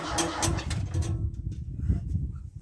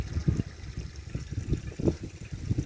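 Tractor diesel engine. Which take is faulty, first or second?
first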